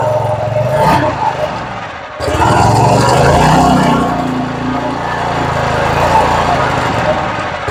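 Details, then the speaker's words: Southland edger that sat all winter and wouldn't start, run after carburetor cleaning and fresh gas (bad gas suspected); single-cylinder catches, slight harmonic at first start that smooths out once warmed up, then steady even running, normal running. "she had a little bit of a harmonic when we first started it but after she ran for a minute and warmed up that harmonic smoothed out completely and it sounded really good"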